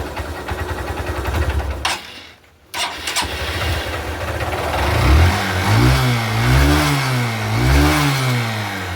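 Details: Honda Shine 125 BS4 single-cylinder after compressor (compression) repair with new valves and guide: catches after brief pause, settles, then rises and falls smoothly through blips; even healthy running, no knocks.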